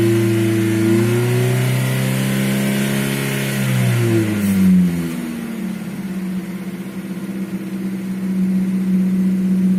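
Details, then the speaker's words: Nissan QG18DE engine, not yet at operating temperature: knock quietens as revs rise to 2000 rpm and is nearly inaudible above 2000, then a regular knock about four per second returns at 750 rpm idle; cause unknown. "Сейчас двигатель до рабочей температуры еще не дошел, но могу продемонстрировать, что стук при повышении оборотов до 2000 становится тише. После 2000 его практически не слышно."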